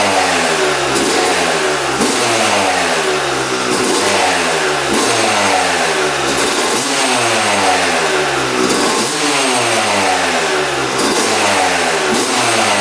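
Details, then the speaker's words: 2006 Yamaha YZ250 two-stroke after full engine rebuild, carb leak fixed, before first ride: crisp, sharp blips rising and falling cleanly through the revs, no misfire or rattle; normal revving. "That sounds really, really good. That's how it should sound. See how crispy that sounds."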